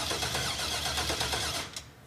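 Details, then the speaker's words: 1966 Corvette off the road since 1993, first crank with temporary wiring and no fuel yet; starter spins it evenly with a quick steady rhythm: engine turns over freely, not seized. "this is going to be trying to crank it for the very first time here we go wa that's similar to life wow go again okay it's not seized up"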